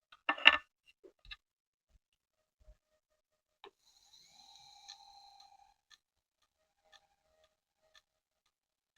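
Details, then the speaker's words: Hard drive in an Itronix XC6000 rugged laptop, microphone close: brief spin-up whine, then sharp faint clicks about once a second; click of death, head hitting the disk, drive failing. "I heard the click of death. I heard the head hitting the hard disk."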